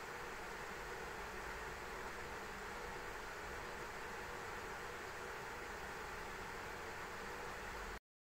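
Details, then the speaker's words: ASUS ROG Strix RTX 3090 in an XTIA case under load at stock: even loud rushing hiss without rhythm; louder than expected, suspected turbulence from opposing fans' airflow, unconfirmed. "I'm going to be honest with you right now that was a lot louder than I thought it was going to be now I'm starting to believe that there could be turbulence with the fan noise hitting fans on the other fans"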